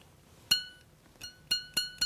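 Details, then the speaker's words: Piercing saw blade clamped with the frame squeezed under tension; plucking gives five sharp, high glassy pings that ring clearly, a properly tensioned blade, unlike the sound of a loose blade that bends and breaks. "Okay? A nice high-pitched sound. The blade has to be under tension."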